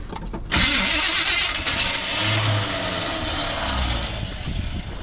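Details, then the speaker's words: 1980 Chevy 4x4 squarebody with rebuilt Quadrajet, old fuel: after extended cranking, ragged uneven firing catches and stumbles without settling into idle; engine sputtering while trying to start. "She's sputtering"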